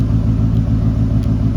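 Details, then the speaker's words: 2018 Ford F150 5.0 V8 with the muffler cut out and a pipe welded in, remote-started: a loud, deep, burbling idle with a steady, even throbbing pulse that sounds healthy. "welded a pipe there, and it sounds pretty good."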